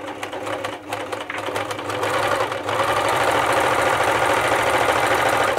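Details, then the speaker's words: Elna T34D serger/overlocker before service, threaded with new needles for a test run; fast, uneven, labored clatter with a harsh rattly edge, running fairly slow with tight handwheels, though it sews and cuts fine; rough running. "This machine here is in for service and it's running pretty rough."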